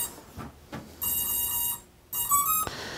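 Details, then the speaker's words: DRS250 quadcopter plugged in during pre-flight checks gives its normal power-up beep sequence, two long electronic tones; leave it alone until the light blinks slowly. "you'll hear a series of beeps and what you want to do is you want to leave the quadcopter alone until you see if you zoom in right here you'll see a light and it's blinking very slowly"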